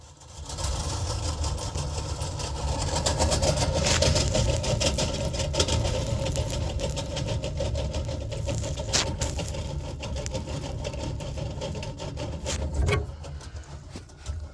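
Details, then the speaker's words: York gas furnace, apparently original OEM blower motor: blower starts into a loud rumbling roar with fast uneven thumping, about three or four a second; the heat still worked but it got so loud the owner shut it off; the squirrel-cage blower wheel is broken. "see that play this whe is definitely broke and guys it looks like this is the OEM motor that's in here"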